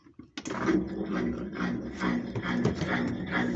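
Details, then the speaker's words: Old General washing machine, model TL1221BPSOS0, after repair of a no-power fault, running spin (exprimir): steady rushing spin with light mechanical rattle, no grinding or labouring; normal spin cycle. "¿Puede ver? Ahí está exprimiendo. Calidad."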